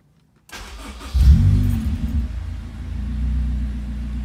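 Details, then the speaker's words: Honda S2000 with Flowmaster mufflers, said to run and drive well: brief starter crank, then the engine catches with a quick rev and settles into a smooth, even idle. A normal, healthy start and idle. "so I'll start it up real quick if I can find my keys I said runs and drives pretty good"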